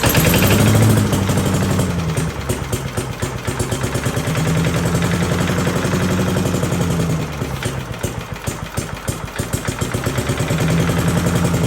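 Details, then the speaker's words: 1982 Billy Goat vacuum small single-cylinder engine after an ignition swap, started on spray: quick, even popping at about four beats a second with a steady beat and no misses. A very solid running engine. "we have a very very solid running engine here"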